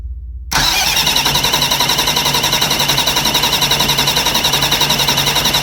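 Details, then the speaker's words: Diesel engine, newly fitted Delco Remy 39MT starter replacing a 50MT, in a 52°F shop without glow plug power. Strong, even cranking with no slowing, clicking or grinding. Normal cranking. "so it's got good cranking power"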